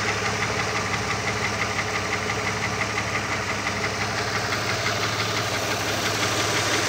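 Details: Opel Omega B idling with a steady light ticking knock about three per second from the exhaust camshaft on the second cylinder head; knock present for 2.5 years; camshaft knock.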